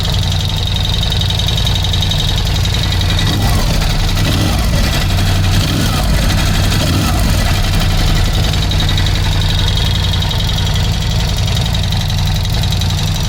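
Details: 2018 Ducati Scrambler 1100 Special before replacing the horizontal cylinder and piston: loud lumpy V-twin idle with a loose, uneven knocking clatter in the beat; piston slap.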